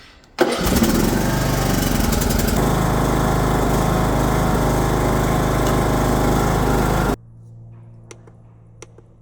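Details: Vehicle with a bone-dead battery, force-jumped by holding the mode button on a LOKITHOR JPD400 3000A jump pack; fires straight away and runs steady for about seven seconds before shutdown; starts and runs fine.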